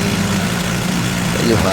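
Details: Yamaha Mio i scooter, submerged in a river and not running for 3 years, now revived: small single buzzes at steady idle, rear wheel turning freely, no misfires or rattles; running fine.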